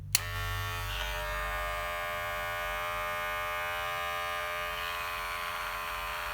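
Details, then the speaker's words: Cordless hair clipper after repair running with steady, even motor buzz at constant pitch, no knocking or rattle; quiet but motor not new, normal running. "e aí bom então pode ver que ele ficou tão silenciosa porque porque o motor já não é novo"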